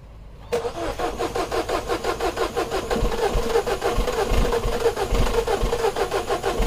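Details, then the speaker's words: 2012 Mini Cooper 1.6L manual, new fuel pump already fitted, code for high-pressure fuel too low on cold start: even cranking about three beats a second, engine never fires; no fuel, pump not running. "so we have no fuel pump looks like we have no fuel pump there's no fuel in there"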